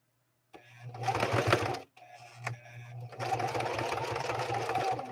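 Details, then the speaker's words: Singer 4411 sewing machine zigzag-stitching thick cowhide: motor hums and clatters in bursts with a strained note, labouring to push the needle through; the needle struggles, and slower speed or a Teflon foot is considered. "Listen to that machine work. You can hear the density of that cowhide. Listen to that machine work. It's really working to try to get through that."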